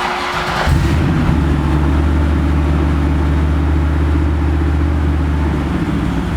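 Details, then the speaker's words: Big-turbo LS6 Volvo wagon, 650 whp, with a new 3.5-inch stainless exhaust using Vibrant and Borla mufflers: cold start after sitting several days, recorded indoors with some echo. Catches within a second and settles into a deep, even fast idle; healthy. "it's not super quiet but two things to keep in mind it's a cold start hasn't been started in a few days and we're inside so it's a little bit echoey i can feel the exhaust coming out of there which is awesome"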